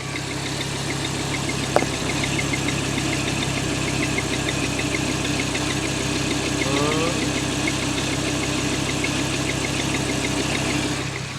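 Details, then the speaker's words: 2014 Audi R8 V10, 110,000 km, hot idle, loudest just ahead of the rear wheel: quick sharp squeaky tick, about three a second, over a steady hum, like belt slip or a seizing crank; crankshaft rubbing on rear main seal retainer. "어떻게 보면 벨트 슬립하는 소리 같기도 하고, 어떻게 보면 크랭크 축이 고착된 소리 같기도 해요."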